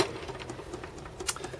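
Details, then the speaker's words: RCA Victor 9JY RP-168 45 RPM record changer before restoration, badly frayed cord: quiet, uneven clicks and taps as the reject button is pressed, the tone not dropping and the mechanism only sometimes catching to finish; rough reject cycle, suspected mechanical or gear problem. "I pushed the button here the reject button and it does it does start to work that tone um doesn't go down and occasionally it'll catch at the end and do the reject"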